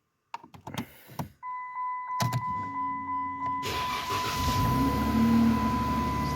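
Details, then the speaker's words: Dodge Challenger that kept killing batteries overnight, started after sitting about 17 hours; a few clicks and a door chime, then brief cranking and an immediate catch into a steady idle: normal engine start. "according to the owner she said no battery would make it overnight in this car and as you can see it started right up"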